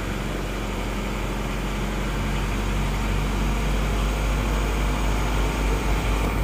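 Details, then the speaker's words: Isuzu Panther diesel freshly rebuilt with new liners, just started, still cold: low, even chug at a steady quick beat, no knocks or misfires. Smooth normal cold idle. "at awal Masih dingin baru hidupar ya es Oke ini mesinnya sudah hidup sekarang kita coba Sebentar ya"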